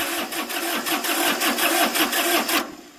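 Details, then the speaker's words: Three-cylinder diesel, started cold on glow plugs after sitting months: uneven stumbling chug about three beats a second, then fades; sounds like a miss, owner suspects a couple of dead glow plugs. "like it's got a Miss cuz that's three cylinder and I think a couple that glow plugs are done"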